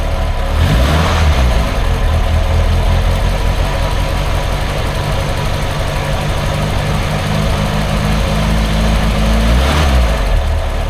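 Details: Triumph Herald Estate first start after refitting inlet and exhaust manifolds and carb: revs up, then falls back to a lumpy, uneven idle close to stalling; chokes itself up off throttle, owner suspects over-fueling.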